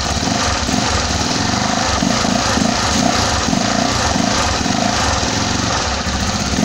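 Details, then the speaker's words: Freshly finished Honda CG 260R single-cylinder motorcycle engine idling steadily at 1,500 rpm: even, quick putter with no knocks or misses; clean, healthy idle. "vou ligar e mostrar como a marcha lenta ficou parado aqui em 1.500 RPM tranquila sem ser Quadrada Tá uma marcha lenta bacana né"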